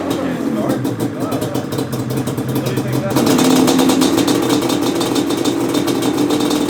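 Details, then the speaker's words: 1997 Yamaha Banshee 350 two-stroke after fixing a cracked, loose carb jet that ran one carb rich; rejetted to 310 mains and 27.5 pilots. Crackly idle picks up sharply and holds a clean, even ringing note; runs normally. "all right new jets in the carbs push this thing out and start it up let's see i might have to mess with the af screw a little bit but we'll know right now"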